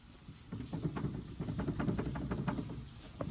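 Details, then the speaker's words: GM truck/SUV worn steering intermediate shaft slip joint with excessive play rocked by hand: quick uneven dull clunks and clicks, the same clunk heard over bumps or when turning, often mistaken for suspension. "go over a bump you hit that you hear this you know that noise that's what that is a lot of people think it's a suspension although the suspension can mimic that"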